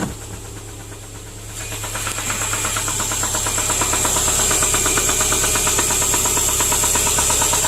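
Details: 2010 Subaru Impreza 2.5 non-turbo, 113,000 miles: engine run without oil, over 4 qts needed to reach dipstick, glittery oil; at idle a steady, hard metallic knock about three per second, crank looks wobbly. Bearing knock from oil starvation.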